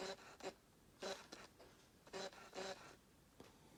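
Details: Fujifilm XF 16mm f/1.4 aimed at a no-contrast area to force focus hunting: short bursts of harsh, high autofocus motor buzzing as the lens cycles its range; AF works on focusable subjects, and the owner is unsure whether the lens is defective.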